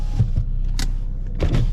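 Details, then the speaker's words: 2011 Saab 9-5 Turbo with front driver-side damage: the front driver and passenger power windows go down and up without a problem, with a smooth even motor hum and a clean stop. "We'll try our windows. Both passenger and drivers go down and up without a problem."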